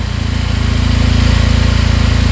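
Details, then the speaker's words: 2022 Benelli motorcycle bought at auction, fired instantly, idling at 1700 rpm: steady, even low thrum with a quick regular pulse, no top-end or bottom-end knocking; normal idle. "Look at that. Idling at 1700 RPM. No knocking in the top end. Bottom end sounds good."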